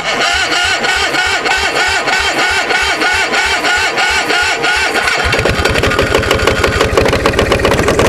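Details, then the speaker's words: Onan MDJE two-cylinder diesel generator starting on glow plugs with a weak starter: slow uneven chuffing, then catches and runs ragged, not hitting on both cylinders; air suspected in fuel from suction line lifted out of bucket; making about 238–239 V. "She's trying to hit on both cylinders. I think we got a little bit of air in the system."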